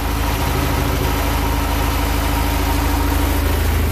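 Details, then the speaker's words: Houseboat Volvo Penta 130 running again during a tune-up after switching back to the first distributor cap: steady, even low rumble with a regular firing beat of about 200 per minute and no misses; healthy idle. "runs that means tomorrow i'm gonna tackle the bellows which which is something i have not been looking forward to doing"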